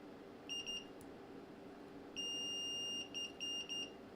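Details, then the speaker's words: 1984 Sony SRF-A200 stereo AM radio that was found dead after ten years in storage, under test. A shrill tone stutters on and off in uneven bursts: an apparent intermittent connection, cause not yet confirmed. "We've got an intermittent connection there by the looks of it."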